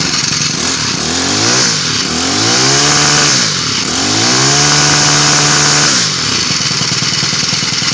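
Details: Cub Cadet four-cycle string trimmer just after a carburetor replacement. The small four-stroke revs up and settles back several times, pitch rising and falling cleanly with throttle. Runs smooth and even, normal running.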